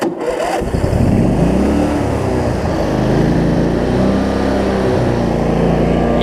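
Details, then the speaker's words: Cub Cadet zero-turn mower, Briggs V-twin, after fixes for wiring, charging, governor and rich running: the engine catches and its speed wavers briefly at startup before settling at proper rpm, then idles down well. "kind of hear it served a little bit when you start but that's about the rpm it needs to be it idles down really well too so that's good"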